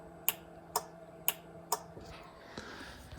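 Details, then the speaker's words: Supra with two relays by the roll bar for the fuel pump and transmission fluid pump, ECU-switched on above 60 throttle when battery voltage is over eight: crisp clicks, four in about a second and a half then a couple more, as the relay pulls in; normal. "in the ecu i have it set up to turn on whenever i'm over 60 throttle and battery volts are over eight so it's not ever running if the battery's dead in case i want to test it but if i floor it you can see that turning on and hopefully hear it clicking too"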